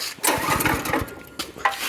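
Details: Used Coleman KT196 go-kart small engine started just after an oil change (grey old oil replaced with Castrol 10W-30), kill switch on, on choke. Quick chugging cranking pulses, then it catches and sputters: normal cold start.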